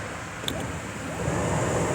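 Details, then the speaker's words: 2018 Kia Optima whose blower works only on high, fan powered through an alligator-clip ground jumper: smooth airy rush building steadily, no rattle or squeal; blower motor and its wiring are good, bad blower motor resistor more likely. "you guys can hear my fan works so that means that my lake from here to my blower motor that's place that was on the wiring is good"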